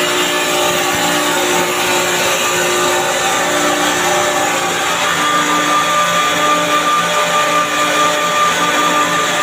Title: chiller checking abnormal sounds of compressor